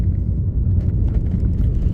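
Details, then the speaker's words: Audi TT Mk1 on first test drive after turbo repair (new turbo intake pipe, new PCV valve system, valve removed), steady light throttle in 30 mph zone: smooth, quiet low rumble, less throaty, no whoosh, flutter or rattle; healthy running. "already it sounds quieter already it sounds less throaty already it sounds smoother"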